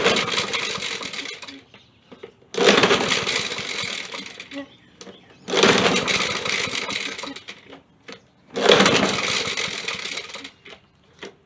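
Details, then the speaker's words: Poulan Pro mower, bone dry, run without an air filter and primed with carb cleaner: rough pull bursts every three seconds, catching but never running. The recoil starter spring-assist guide snapped, so the engine won't spin fast enough to start. "some more i heard it catching it was trying to start but what was happening is this was failing it wasn't spinning enough getting enough momentum to crank it over it was trying just wasn't cutting it"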